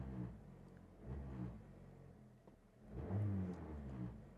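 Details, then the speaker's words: Car started from inside cabin: low droning hum swelling with each rev and falling back at idle, strong vibration felt through body and feet, eases in first gear under load then returns; boomy body resonance. "ഇത് കാലിലും ശരീരത്തും മൊത്തവും വിറയൽ അല്ല പെരുപ്പ് ഭയങ്കരമായ പെരുപ്പ് നമുക്ക് feel ചെയ്യും അതുകണക്ക് തന്നെ"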